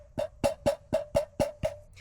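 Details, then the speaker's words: Old stock muffler off a Triumph Daytona, shaken by hand, gives seven hollow ringing knocks about four a second from something loose inside. The replacement aftermarket muffler shows no rattle. "It's got like that little I'm not really sure where it's coming from, but something does have just the slightest little rattle."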